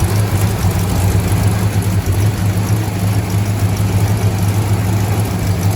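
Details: 1968 Dodge Charger barn find, old fuel pumped out, Seafoam and fresh non-ethanol gas added, first start: deep steady V8 idle, even low rumble, no knocks or misses; normal idle.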